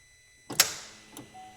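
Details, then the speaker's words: 2008 Suzuki XL7 with a 3.6 GM V6 and over 190,000 miles, key turned: a single sharp click, then silence with no cranking. The starter is believed dead; a worn-ignition security-system fault was considered. "Hear that click? So we think what's happening is just the the starter's just dead."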